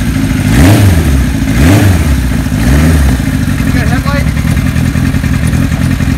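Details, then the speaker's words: 1975 Kawasaki Z1 900 four, 23,000 miles, cold start on choke: three quick throttle blips about a second apart, then steady lumpy idle; fires and holds evenly, normal. "the bike is cold so I'm going to turn the choke on press the button"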